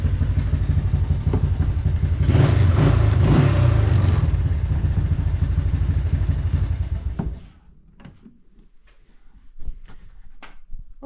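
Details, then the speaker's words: Four-wheeler engine swapped into a golf cart: uneven, lumpy low engine beat that stumbles rather than running smooth, then cuts out; it ran badly because the choke was left out by mistake, and it ran well once the choke was pushed in. "The video I took, you could probably hear that it wasn't running very well. And it was actually because I had the choke out and didn't realize it."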